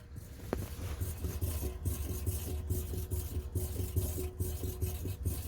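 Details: Water main in a British Columbia house, heard in the mechanical room by the hot water tank: low rhythmic chugging thumps about once per second with a faint hum and vibration; water hammer from a faulty lift check valve, which was the fix.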